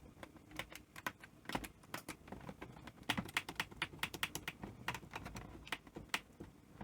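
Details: NEC PVC-740 Betamax VCR on power-up: a rapid, uneven string of sharp relay clicks with no motor running, and the clock going off. Only the higher voltages seem to work; the owner suspects the 12 V rail isn't working properly. Cause unconfirmed.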